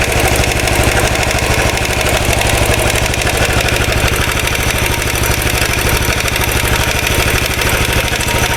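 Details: 2013 Royal Enfield Classic 500 single, reassembled after teardown to remove stray M5x35 bolts: decompressor noise gone, but steady idle carries a fast, uneven oscillating metallic rattle, probed with a screwdriver stethoscope; owner plans to check tappets and rockers. Top-end rattle at idle.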